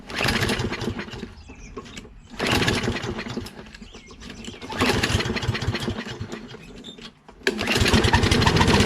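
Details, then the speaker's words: Curbside Toro Recycler XT675 Kohler mower, contact cleaner sprayed in as starting fluid: catches in three short bursts, each fading within seconds; spark present, runs only on the fluid. "You can see it starts with starter fluid, maintains starting, which means there's gases getting through."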